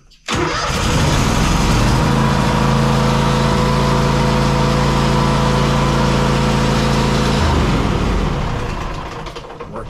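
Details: Zero-turn mower after a new starter was installed to cure click-no-crank: the starter spins briefly and the engine catches within a second, settling into a steady, even run with no stumbling or grinding, a healthy start.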